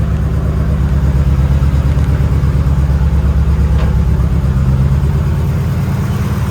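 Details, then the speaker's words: Fully built 2.2L Mitsubishi Evo 9 (42 psi boost, 8000 rpm limiter), days after a harmonic balancer bolt failure: a loud, lumpy idle pulsing about three beats a second, Subaru-like misfire; traced to faulty ignition coil packs. "out of nowhere it started breaking up and it now sounds like a subaru honestly so we've narrowed it down to a misfire"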